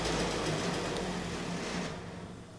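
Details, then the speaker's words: 1979 Puch Magnum moped two-stroke, first start after 40 years in storage, pedal-started, with a leaking nearly empty tank: buzzes evenly with a steady note before fading, no knocks or rattles; runs healthy. "All right, I'll call that a success. Tank's leaking, so I'm going to drain what little bit is in there left out and we'll try this again, but that was a very good first start."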